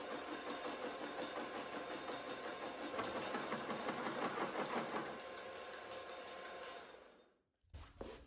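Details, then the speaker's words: Milling machine drilling a new steering/pivot joint for a 40-year-old 2-stroke Yamaha outboard: rough rhythmic clatter about three beats a second over the cutting noise; owner thinks it comes from the gears, cause unknown, left alone for now. "and that noise you can hear the sound kind of bad I think it's coming from these gears here I don't really know what it is but we just leave it alone for now"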